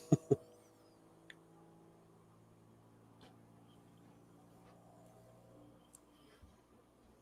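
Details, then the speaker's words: Aliencell X1 40 W laser engraver during setup motion calibration: a quiet steady buzzing hum of about five seconds with a couple of clicks that vibrates the table and revs up; normal self-test vibration. "So, it's it's it's calibrating kind of like what you know. Oh, there it goes. Yeah, you can hear it. That's something new. Never seen that in a laser. So, yeah, you can hear it like revving up. It sounds like a sports car revving up."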